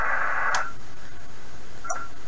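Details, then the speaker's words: 1980s Kenwood TS-430S transceiver bought at a flea market, before relay repair, tuning up past 4 MHz through the bands: receiver hiss swells and fades, then cuts out with a click as the band relay switches, going quiet; dirty band relay contacts. "notice the his started quiet and got a little louder they got a little louder just now oh quiet again pretty sure that's the radio doing that"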